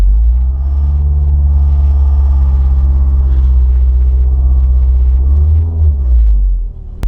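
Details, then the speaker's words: 2007 Ford Focus at idle after start: heavy low droning rumble buzzing through the body, everything rattling; collapsed engine and/or transmission mounts, fixed by replacing the mounts. "your car sound like this if it does it could be an engine or transmission mount or both that are collapsed"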